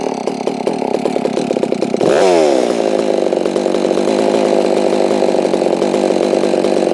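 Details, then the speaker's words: Holztfforma G660 chainsaw, warming up, after losing top-end power while milling (fuel filter suspected): screams then drops to a rough, uneven idle that sags after the cut; owner says the low-speed mixture might need adjusting. "Sounds like my low end might need to be adjusted. Now that it's warming up."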